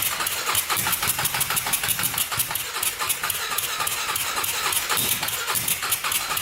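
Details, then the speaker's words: 1999 Honda 400EX turbocharged quad after adding a fuel pump; single thumps unevenly with ragged popping beats, no clean idle, no better; owner thinks the carburetor must be pressurized against boost; a leak and weld also need fixing. "it doesn't seem like it's running any better um oh i think we have to pressurize the carburetor somehow"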